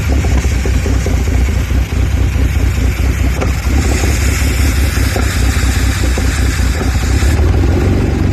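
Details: Audi A4 B7 3.2 cold engine: a deep, lumpy, uneven idle rumble that never settles. The rough idle keeps coming back when cold.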